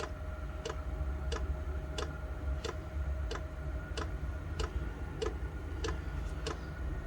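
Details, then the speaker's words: Chinese diesel heater set up for indoor home use, at startup: the dosing pump gives a light, crisp tick about 1.5 times a second over a low hum just before it ignites. This is normal fuel pump ticking. "okay let's just wait for it to fire up you'll hear the pump click in a bit there we go pump's kicked in here it ignite"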